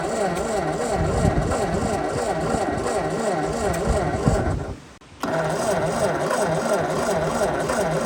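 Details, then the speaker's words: 1952 Ford 8N tractor with low compression, suspected stuck rings and valves, weak spark; coil swapped for a 12 V coil with resistor, 12 V battery on 6 V positive-ground system: steady rhythmic starter churning, short pause, more cranking, never catches. Cranking no-start. "Okay. So, she don't want to start. Let's just see if we have fire."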